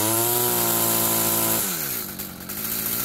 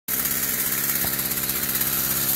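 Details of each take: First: Stihl FS46 string trimmer that won't rev up on throttle, warm day around 85°F: a high buzzing rev climbs, then drops to a burbling run, running a little fat on top; the carb needs adjusting (top, idle, probably low too). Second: Warm Stihl FS46 two-stroke string trimmer, which wouldn't rev up on throttle, now starts and holds a steady, even buzzy idle after reassembly; it runs but still needs carb adjustment, a little rich on top and probably the low too.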